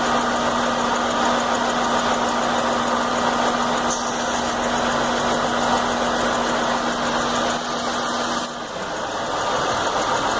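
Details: Chevy Venture at idle during fuel pressure regulator test, no codes or warning lights, drives fine off idle: idle steady in tone but uneven and lumpy underneath, close to stalling; rough idle, cause not pinned down.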